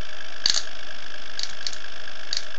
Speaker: if I screw the screws down too tight, it'll bounce off of that. They'll bounce off that rotor, so I have to be careful.